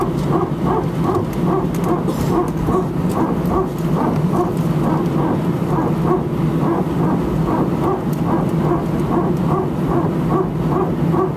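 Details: Air France Airbus A319, flight AF2487 Sofia to Paris, recorded from cabin seat 18F before takeoff: loud rapid barking pulses, about three a second, repeating steadily over cabin rumble; very strange repetitive noise, cause not pinned down.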